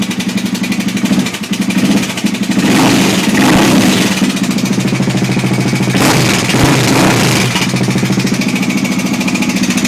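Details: Honda XR600R running: fast hard hammering clatter, about three a second, from the top end; owner suspects the timing chain.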